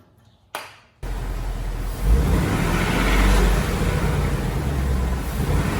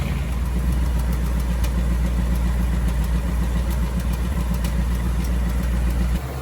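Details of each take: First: 2018 Ford Mustang GT V8, after switching to 15W-50 oil and adding Ceratec: short start then deep smooth idle with no ticking; the engine tick is completely gone. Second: 2018 Ford Mustang GT V8, about 6000 miles, on Mobil 1 10W-30, idling: light fast tick about three or four per second over the low rumble; the known engine tick, cause not confirmed.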